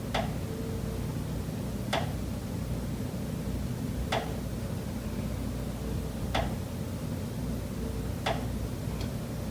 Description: Pipes behind the kitchen wall still knocking constantly day and night.